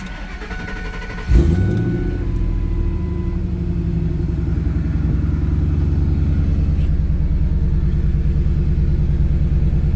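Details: Ford Lightning after replacing the plastic fuel pump Y fitting with a metal one and fitting new submersible hoses and clamps: quick crank, catches at once and settles to a steady low idle with no stumble or miss; normal start and idle.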